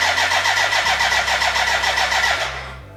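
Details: BMW K100 café racer build, first start attempt with fuel in: starter churns evenly about three and a half turns a second, no firing, then winds down; fuel problem, dry despite being connected to the tank, crank no start.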